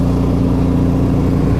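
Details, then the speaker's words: 1991 SAAB 9000 Classic Turbo CC, 2.3-litre turbo four, about 223,000 km, just back after five years stored; deep loud boomy drone on revs, far louder than stock, because the rear muffler fell off on the first drive. "now you would think that this has a full exhaust or something yeah no I took it out of the garage yesterday for the first time took it for a drive put some fresh fuel in it took it for a drive and what do you know the rear muffler fell off"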